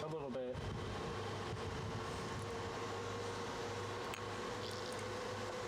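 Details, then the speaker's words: Newly built desktop PC at first power-on in BIOS, after loading optimized defaults, with a steady, overly loud whooshing cooling fan drone that never changes pitch; builder considers swapping in a different fan. "I don't like that so much. You don't like what? How loud that is. I mean, they can probably hear it in my microphone."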